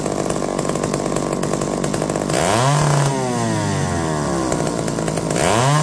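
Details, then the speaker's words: McCulloch D44 two-stroke chainsaw, revived after 15 years: buzz drops and swoops back twice in six seconds, cutting out intermittently under resistance despite hot spark by hand; owner suspects coil, not confirmed. "we' got hot spark hits by hand but when trying to run under resistance like I said it's going to try to do whatever it wants"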